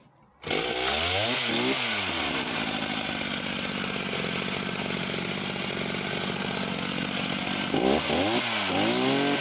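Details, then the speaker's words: Husqvarna chainsaw of unknown model with an 18-inch Oregon bar: starts, revs hard and holds top speed with a rough burbling edge. It is four-stroking a lot at the top end, possibly slightly lean. The chain runs bone dry with no oiling. "so seems to start okay and throttles up okay could be undoubtedly um leaned out slightly as well four stroking a lot at the top end"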